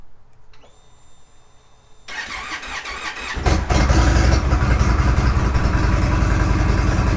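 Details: Indian Roadmaster after replacing a part, not started since Thanksgiving: a quiet pump whir, then about a second of cranking before the V-twin catches and settles into a steady, loping idle. A normal start.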